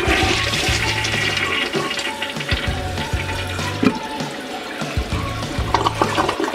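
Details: Toilet that drained poorly though not clogged, flushed after clearing deposits with a wire: strong full rush of water drains quickly and cleanly with a steady swirl; healthy unobstructed flush.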